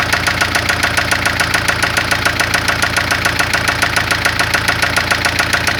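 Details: 1996 Spanish-built Ford Fiesta engine making a lot of noise: sharp, very even ticking knock at idle, about 105 per minute, over a steady engine hum; engine knock of unknown origin.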